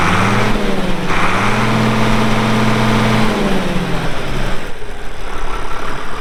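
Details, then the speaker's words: Healthy diesel start and idle on a 1979 International 986 2WD tractor, about 3,200 estimated hours (hour meter broken, reads 2,321): cranks, catches and settles to a steady, even low idle; runs great. "Uh so like I said, here in a little bit, we'll fire it up, let you hear the engine. It runs great."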